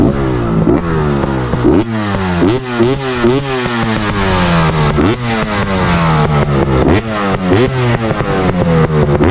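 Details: 2023 KTM 300 TPI snowbike rebuilt with a BRC500 500cc TBI engine, freshly flashed tune, started using the decomp button: fires and blips up and down repeatedly, revs rising and falling cleanly, no misfire or knock; healthy two-stroke.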